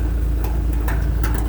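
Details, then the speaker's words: A/C heat unit: steady low hum with sharp tinging ticks every few tenths of a second as something hits the fan or the fan hits something. "It's like this steady tinging. So anyway, yeah, that's not right. Shouldn't be doing that."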